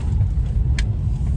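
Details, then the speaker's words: Subaru Forester SG5 driving after front knock fixed: only steady low road rumble, no clunks or knocks over bumps; front suspension tight, normal, no knock. "сейчас передке вообще просто все идеально едешь машинка сбитая блин круто вообще"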